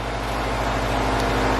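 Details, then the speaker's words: Honda B16A with a fresh set of injectors, started after priming the fuel system, with fuel pressure turned up; settles into a steady, even idle with no misses, knocks or ticks, running clean. "success she's running i crank the fuel pressure up so now it's running where it should be let's check for any fuel leaks"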